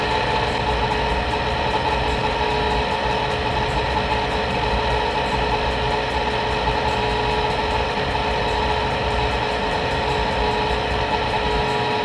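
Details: Rheem water heater vent blower motor running with the burner on, after the bearing noise ramps up a minute into the cycle; constant high droning hum with a gritty edge; worn blower motor bearing.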